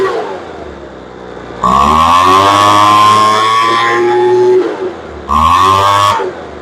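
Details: Poulan Pro blower that would not start after sitting, with a suspected carburetor air leak. Its L screw is being adjusted in 1/8-turn steps. Revs climb sluggishly from idle to a screaming full throttle and drop back, so throttle response is still slow.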